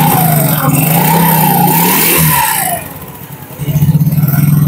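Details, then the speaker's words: Yamaha Mio Sporty scooter that had lost power, after CVT pulley reassembly and fresh oil: revs up cleanly, holds strong, drops back to an even idle, no slipping or rattle; power restored, engine and CVT normal. "Tuh, Guys. Ada tenaganya, Guys."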